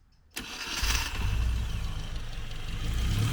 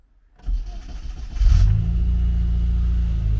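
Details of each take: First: Classic Mini Cooper being recommissioned, new full exhaust fitted, starter motor previously blown, charging 13.8 V: sharp catch after a brief crank, then steady, even low idle; starts cleanly and runs smoothly. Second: Classic Mini Cooper with new full exhaust and charging fault: cranks and catches, then lumpy, uneven spluttering run that won't rev, suspected air leak; traced to a stuck throttle idle switch.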